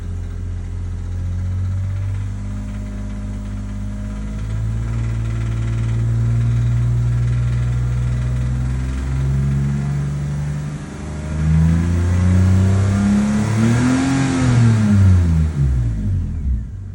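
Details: BMW E46 330Ci M54B30 231 hp automatic idling then revved: light metallic rattle from the timing chain in a certain rpm band, caused by a broken chain guide rail.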